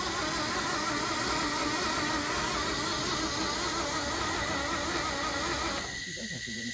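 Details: Flood-damaged Isuzu Gemini under restoration, turning the motor and drivetrain over on the starter: steady, even starter churn at about three beats a second with no binding or hitching. Engine cranking freely.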